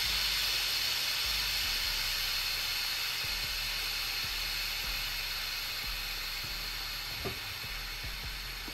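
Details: Autoclave sterilizing pen-style tattoo machine grips, power cut and deflate valve pulled: loud, steady high steam hiss from the open valve, easing slightly as pressure drops at about 26 minutes; normal depressurization venting.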